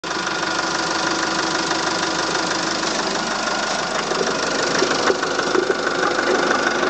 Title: Volvo S40 strange noise coming from the coolant expansion tank